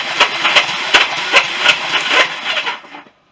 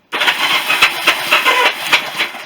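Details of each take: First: Barn-find Honda CB350 motorcycle cranked on the electric starter with spark plugs out after fixing starter button wiring: hissy whirring, even pulses about three a second, winds down; turns over, starter sounds a bit worn. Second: Barn-find Honda CB350 motorcycle cranked on the electric starter with spark plugs out after fixing starter button wiring: harsh, tinny whirring with uneven pulses about four a second; starter sounds worn, owner unsure if sprag clutch.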